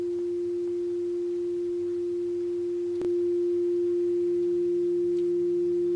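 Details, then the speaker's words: Hofler thermoacoustic tube with a steel-wool stack heated by a methylated spirits burner, the basis of a Stirling engine: pure steady hum near 350 Hz, constant with no wavering; the tube resonates properly. "There we are, humming away. How easy was that?"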